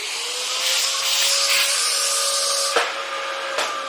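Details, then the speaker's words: Dyson DC-07 vacuum found in the trash, running with the brush roll; steady high-pitched motor whine, even airy rush and a couple of light knocks; brush roll spins, normal running. "Yeah, I can hear the brush roll spinning. Yeah, so the brush roll was spinning on that one too, so that's pretty good."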